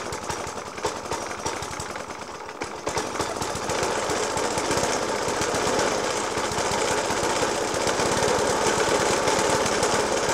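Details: Suffolk Punch 30S lawnmower (1991 era) with Dellorto FCH 20 carb: harsh, loud banging about four per second over a ragged idle, persisting after spark plug change, decoke and carb clean; cause unclear.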